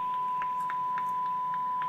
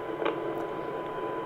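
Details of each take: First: Yaesu FT-2312 23 cm (1.2 GHz) radio, after repair, receiving a 1298 MHz FM generator signal with 1 kHz modulation: clean, steady 1 kHz tone without dropouts or crackle; receiver working properly. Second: Yaesu FT-2312 23 cm (1.2 GHz) radio from the 1990s, before repair, receiving a weak modulated 1298 MHz signal with 1 kHz tone: heavy constant hiss over the tone; symptoms point to a VCO/synthesizer signal problem injecting noise.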